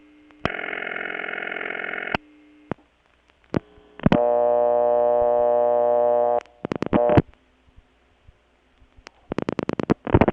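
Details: Bell System No. 355 step-by-step office, Kent CT, August 1980: busy signal from the Sharon ringing machine, even buzzy bursts at steady pitch without sagging or slowing; machine in good shape, no speed problems.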